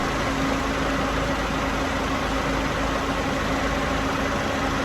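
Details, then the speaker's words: Peugeot 107 A/C compressor running at idle after a DIY R134a regas. The gauge reads about 36 psi, within the kit's 33–38 range, and the system seems to be working. Even idle with a faint steady compressor hum, no knocks: normal operation. "So according to the instructions, 33 to 38 is absolutely fine if it's working and it's blowing cold air out."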